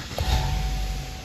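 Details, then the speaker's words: Chevrolet after repair of key that would not turn the ignition: on starting, two crisp clacks about a second apart over a low idle rumble as the door locks cycle; computer working 100%, normal door lock actuation. "ligou se atenta a isso só viu rebateu as travas Então quer dizer que o computador ali tá 100% funcionando"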